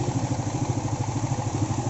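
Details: Yamaha Vega ZR single-cylinder motorcycle rebuilt with a Vario 125 piston (Aspira), idling: even, steady putter with no knocks or rattles; the engine now runs smoothly and healthy.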